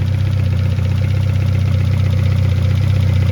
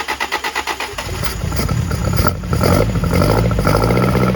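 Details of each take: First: 1971 Toyota Celica RA20, 18RG on twin Weber 40 DCOE carbs, just synced via balance screw with both carbs reading just over 5 on the gauge: steady even smooth idle, no misses or spitting here, though carbs later still spat back. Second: 1971 Toyota Celica RA20 with 18RG engine on twin Weber 40 DCOE sidedraft carbs, electronic ignition, new cap, rotor, plugs and wires, electric fuel pump, long stored: catches into a lumpy idle with occasional sharp pops spitting back through the carbs.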